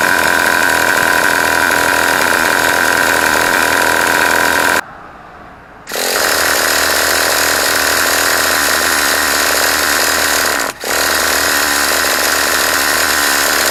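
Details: Traxxas T-Maxx 2.5 nitro RC engine, bought used, being cranked after adjusting the high-speed needle: steady buzzing drone of cranking with no firing, fifth failed attempt to start; cause unknown.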